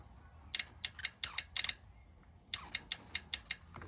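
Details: Ford F-150 4.9 (300) fuel injector on the bench, pressurized with carb cleaner via a valve stem: sharp, bright clicks in two bursts as the lead is tapped to pulse it open and shut.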